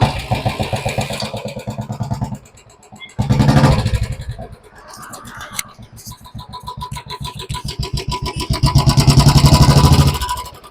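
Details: Royal Enfield BS4 single-cylinder: steady thump with a constant light ticking that persists through blips and is present full time, including at morning cold start; hydraulic tappet noise from low oil level.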